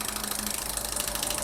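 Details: 2019 Hyundai Grandeur IG Hybrid with a noise while driving; transmission removed for overhaul and its solenoids bench-tested. Fast, even, crisp clicking buzz, about 25 clicks a second. This solenoid is working properly, unlike the stuck forward-clutch solenoid and the dead OD-clutch solenoid.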